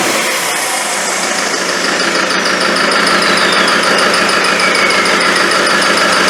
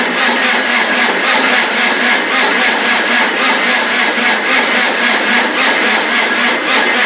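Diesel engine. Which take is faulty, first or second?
second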